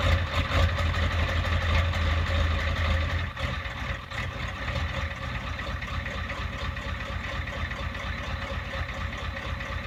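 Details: Cold start at about 15°F of a 1993 Ford F-350 7.3 IDI diesel: cold diesel clatter with an uneven, loping idle that surges and settles about twice a second; cause unknown.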